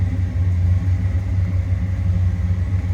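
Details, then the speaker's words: 1966 Ford Fairlane 500 GT convertible, 390 V8 S-code with four-speed manual, idling; recorded moving to the rear, deep steady even rumble with no ticks, knocks or misses; smooth healthy idle. "you can hear a smooth running car slip around to the back so you hear it nice little rumble coming out of that 390."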